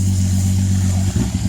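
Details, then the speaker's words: BMW E46 with turbocharged M52B28TU engine: steady low drone that stumbles and breaks up when throttle is snapped, stalling on sharp throttle but fine when opened gently; also smoking and knocking, something heard rattling loose. "Но она глохнет. Если плавненько, то нормально, а если резко, то глохнет."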